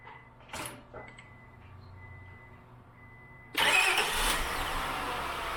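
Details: 2000 Acura 3.2TL with J32 V6 at 610,451 miles: first start after replacing all intake gaskets, including the lower intake manifold gasket. Quiet, then the starter catches and the engine fires straight up into an even, steady run with no misses. Normal start-up and idle.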